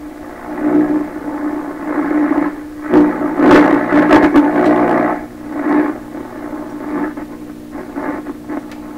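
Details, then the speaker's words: 1928 RCA Victor Model 28V radio: steady 60 Hz mains hum under tuning crackles and static, consistent as the dial moves though earlier it seemed to jump in level while tuning; source being tracked down. "Now that sounds like an ordinary radio hum to me, 60 cycle hum. Okay, it's consistent all the way through there."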